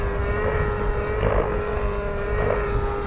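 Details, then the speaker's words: Nitro RC helicopter engine at idle-up doing tick-tocks: smooth high drone that sags softly under pitch load, heavy smoke, weak with no power yet healthy-sounding, recovering off pitch; high-end needle far too rich. "How do you know that this is a rich motor? Simple. You listen to it. It has no power, yet it sounds healthy. It has a lot of smoke."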